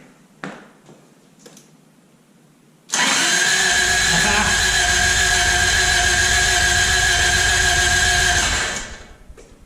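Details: 1986 Toyota Corolla AE86, parked since 2010, with a freshly charged battery fitted: about six seconds of steady starter whirring at constant speed that never fires; it cranks but won't start.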